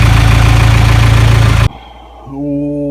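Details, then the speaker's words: 1996 Geo Tracker, first run after fixing a no-spark issue (distributor left slightly loose): runs with a steady knock about four per second, almost like something rubbing, then cuts out abruptly and stalls; afterward the fuel pump keeps kicking on and off. "started making a funny noise for a second almost sounded like something's rubbing and then it shut off"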